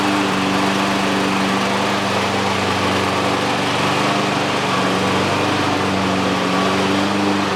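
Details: Exmark EC21KA Commercial 21-inch walk-behind mower with Kawasaki FJ180 engine, after new primer bulb and repairs: steady, even single-cylinder drone at constant speed, no knocks, misses or surging; running cleanly.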